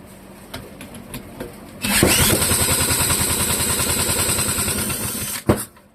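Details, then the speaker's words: Clinton model 3100 small engine on the bench, after choke is opened: catches after a few pulls and runs rough for about three seconds, then dies abruptly; sticky float suspected, carburetor likely needs cleaning. "Let's open that choke. Hey, signs of life."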